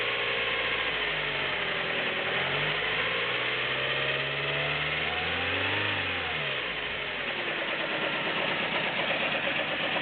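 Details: Nissan Micra 1.0 16V idling and blipped: light quick ticking rising and falling with revs, reduced after tensioning, remaining noise suspected valve tapping.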